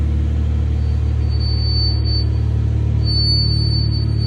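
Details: Cold start of a 2020 Chevrolet Camaro V6 after an oil change with 6 quarts 5W-30 and a new filter: deep even rumble at a steady fast idle with a faint high whistle over it; normal cold start idle.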